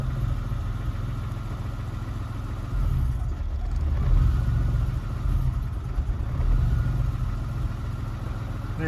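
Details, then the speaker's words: EK Civic with J-series swap on Speeduino ECU: low idle rumble surging and sagging unevenly every second or two; data log shows crank/cam sync losses while just idling, happens when positioned upright as with the interior installed. "Well, this tells kind of a sad story. It looks like I'm getting sync losses, actually."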